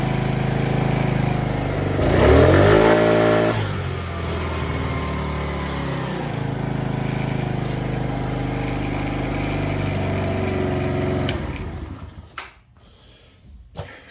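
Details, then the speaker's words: Polaris Outlaw 50 kids' ATV, after a thumb-to-twist throttle conversion: small single catches quickly, revs cleanly and drops back to a steady, even idle with no misses or hesitation. Normal start and revving. "let's try it again oh on squeeze okay started fine see the Ws up"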